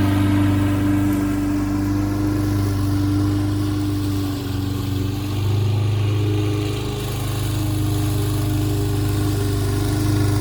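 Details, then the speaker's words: Toro 6.75 HP 149cc self-propelled mower with a Kohler engine, after bad gas and an added fuel shutoff. One-pull start, then a steady, even drone holding speed without misses or hunting; running normally. "so there you have it guys toro 6.75 cooler engine back to running one pull start again"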